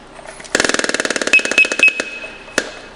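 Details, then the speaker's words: Scott SCBA pack maintenance check with purge valve closed and air-saver switch on: opening the cylinder valve gives the vibe-alert buzz and three chirps, lights turn green, and no air leaks are heard. This is a normal startup. "the vibe alert should come on no air flow from the regulator you will hear three chirps these two lights will turn bright and then turn green"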